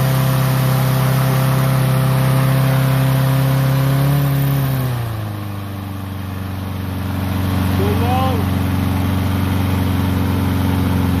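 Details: Troy-Bilt mower with Honda engine, after carburetor cleaning and draining water-contaminated fuel (fresh gas), previously would not start: runs fast and steady, dips smoothly to a lower even speed and holds; clean healthy run, idle a touch high.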